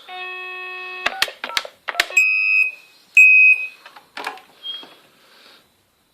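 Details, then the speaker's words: PBX/EPABX intercom system, dialing extension 602: quick keypad tones then loud, steady high-pitched ring bursts about a second apart, with a ticking like an indicator while ringing; extension ringing normally. "obnoxiously loud ring it and just like that you press recall over flashlight do you can hear it ticking over here while it's ringing it sounds like an indicator if you ask me"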